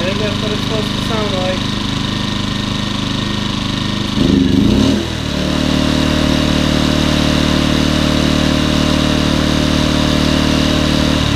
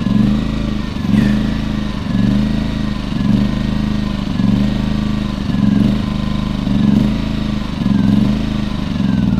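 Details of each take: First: Champion 2000W 73536i generator, about 16-24 hours of use, after cleaning the idle jet and carb to cure surging; brief step change as the economy switch is toggled, then a smooth, steady drone with no surging. Normal idle. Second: Champion 2000 W 73536i generator with about 16–24 hours of use, before carburetor cleaning. Engine speed hunts up and down about once a second at idle, never settling; surging idle, likely from a plugged idle jet.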